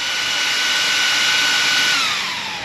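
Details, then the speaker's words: Arrma Outcast 8S RC car with Castle ESC, first run after rebuild: high, steady cooling-fan whine that holds pitch, then winds down smoothly; all fans still working, none broken, no temperature cutout, repairs holding. "All the fans are still working, no broken fans, no temp cut."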